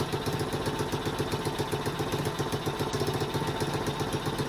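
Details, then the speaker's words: Tao Tao 110cc Chinese ATV, cold engine just started after starter replacement: quick, even single-cylinder putter near four beats a second, no misses or clatter; idles cleanly. "It is cold, but we'll see if it starts. There you go, just like that."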